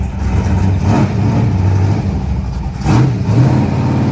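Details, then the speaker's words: Open race engine in a race car that sat after a hard crash: lumpy V8 held on throttle with short blips, rough loping beat that won't settle to idle; runs well, normal high idle for a race engine. "I can't believe how well that thing runs. It won't idle cuz you know open motor life."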